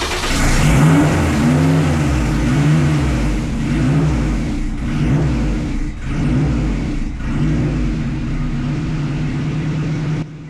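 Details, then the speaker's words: 1974 Alfa Romeo GTV with S2000 engine and 6-speed, first start after e-throttle calibration on Link ECU: engine fires but surges hard, idle flaring straight to 3,000 rpm and hitting a fuel cut, then shut down; idle calibration wrong. "So, everything fired up as you can hear, everything's great, but it does uh rev straight to 3,000 RPMs and hits some sort of fuel cut and, you know, and basically I shut it down very quickly after that."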